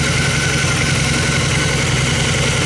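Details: 2002 Honda Magna V4, warm, in neutral, no choke, idling after carburetor rebuild and cleaning, new in-tank fuel filter and fuel line; steady, even low rumble with no misses, knocks or stumbles.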